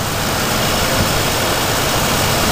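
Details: GTO wagon, after an exhaust leak was sealed with RTV, idling: a steady, even idle with a flat hiss and no ticking or puffing from the exhaust; a finger test finds no leak; runs smooth.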